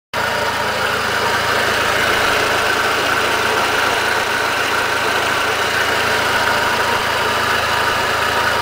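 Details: 2004 Passat at idle: uneven, breathy puffing and hiss over steady running, an exhaust leak; owner suspects it explains the cabin filling with strong fuel/exhaust smell during extended idling with the heat on.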